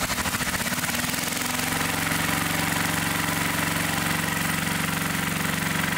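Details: 1961 David Bradley Suburban tractor, hard to start, with good compression, a new plug, half throttle and the oil-bath air filter removed: cranking chatter, then it catches and settles into a fast, steady single-cylinder putter without misses.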